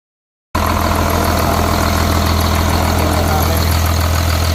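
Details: Caterpillar C7 diesel from a 950, first start on the ground after overhaul. Deep, steady idle with an even low thrum of about three and a half beats a second; runs clean and smooth.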